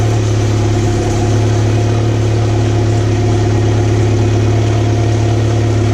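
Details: 2014 Mercury 115 four-stroke outboard after low-pressure lift fuel pump repair, in gear (drops about two cylinders at neutral idle): deep smooth idle, steady low hum, no stumbles or knocks; all four cylinders firing evenly.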